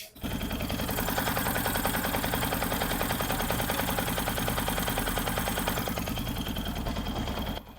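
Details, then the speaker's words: Yamaha FZS V4 that had its full engine opened and a shaft replaced; at idle, rapid even tapping at about three to four per second. Suspected crank balancer gear timing out after reassembly. Balancer gear knock. "लेकिन engine में एक gutter जैसा sound आ रहा है आपको थोड़ा हम sound सुना रहे हैं देखिए टक टक टक टक एक आवाज आ रहा है"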